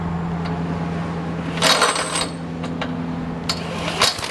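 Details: 1960-70s John Deere push mower saved from scrap, single-cylinder engine just started before an oil change: steady low hum with even firing and a few metallic rattles; running smoothly and healthy.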